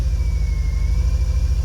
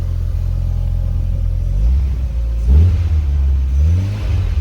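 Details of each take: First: 2000 VW Golf Mk4 GTI 1.8T AGU, before repair, sudden severe misfire through the rev range with shaking and strong fuel smell: deep, uneven rumble with stumbling dips. Cause traced to a failed ignition amplifier (ignition control module); replacement restored smooth running. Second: 2000 VW Golf Mk4 GTI 1.8T AGU turbo petrol, after replacing a failed ignition amplifier on the airbox that caused a severe misfire: idles evenly, takes quick throttle blips cleanly, no misfire.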